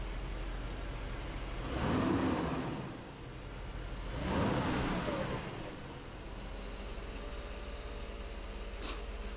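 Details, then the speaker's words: 1991 Mercedes 500SL being prepped for California emissions testing, after replacing the idle control valve hoses and cleaning the valve: the air pump shuts off, two throttle blips, then a low, steady idle around 600 rpm. Normal healthy idle. "sounds good all right I'm on my way we get it smogged Mission testing look how low the RPMs are"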